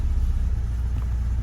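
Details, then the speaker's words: Engine idling smoothly and steadily with an even low rumble, no misses or surges, after rewiring the EFI power, ECM and ground wiring; sync loss only on initial cranking, acceleration enrichment tuning still pending; normal idle. "Acceleration enrichment. So there's a few things, but it seems to be good now."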